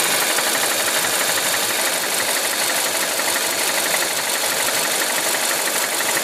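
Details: Mazda CX-7 2.3 turbo: a fast, hissy ticking knock at about three per second over a busy idle; a camshaft gear (actuator) is suspected.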